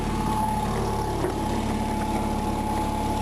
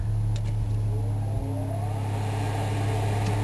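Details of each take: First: Onan RV generator after the cracked header was welded, a new muffler fitted and the carburetor needle valve cleaned: steady, even drone with constant pitch and no stumbles, sounding much better than before. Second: Onan RV generator after header weld and new muffler, carburetor needing cleaning with backfire issues, under load powering an oven; uneven, wavering drone with stumbles as load comes on, still needs adjustment. Rough running under load.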